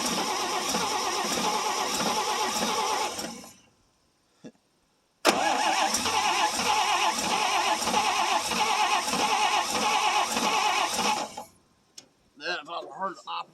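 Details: 1957 International S120 4x4 pickup, about 52,000 miles, sitting about four years, after a no-spark fix with an ignition file: engine fires and runs a few seconds, dies, then catches again and runs unevenly for about six seconds before stalling.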